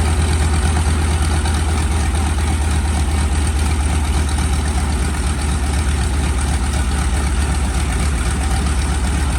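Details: SB2C Helldiver engine on its first test run after an engine replacement, October 3, 2024: a deep, even, continuous roar with a steady low rumble and no knocks or surges; it runs smoothly.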